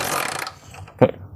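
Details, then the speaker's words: Honda Megapro motorcycle, completely dead, CDI already replaced with stock, spark tested at the coil wire: kick turns the engine over with a short rush and a clunk but no spark and no start; cranks without starting. "terdengar ya suara engkolnya itah nah dia enggak ada oke"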